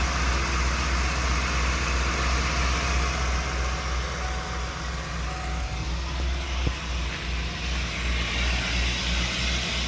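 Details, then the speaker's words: 1994 Ford E350 Club Wagon 351 V8, cold idle: low, slightly uneven beat with occasional stumbles; misfire worst when dead cold, mostly gone when warm, worse under load with hesitation; base timing about 10, suspected PCV grommet leak. "so yeah the idle you can hear it when it's cold it kind of quits that for the most part once it's up to temperature"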